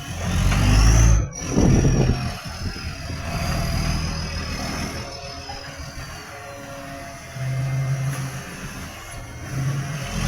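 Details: Tweed garbage truck 3218 with a massive exhaust leak: a loud, raw diesel rumble that swells hard on each rev, much louder than normal.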